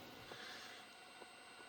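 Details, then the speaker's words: SounDigital car audio amplifier connected to tweeters: faint steady hiss with a thin high-pitched whine and weaker mid tone, worst while the amp is cold, about half as loud once warmed up. "You should now hear the whine the amplifier makes, it's now worst when amp is still cold"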